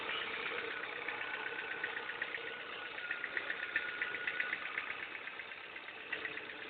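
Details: Ford engine at idle with a burning smell noted: a light, fairly regular tick of about four per second over a quiet idle; abnormal ticking noise, cause undetermined.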